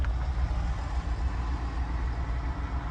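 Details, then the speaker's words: 2020 Nissan Altima with engine misfire and shake, code P10C3 (fuel injector) set, idling in gear: low, uneven rumble dipping and pulsing irregularly; a fuel injector fault, seemingly on a single cylinder. "اليوم في معنا نيسان التيما موديل 2020 السياره هي فيها مشكله عم تقطع السياره"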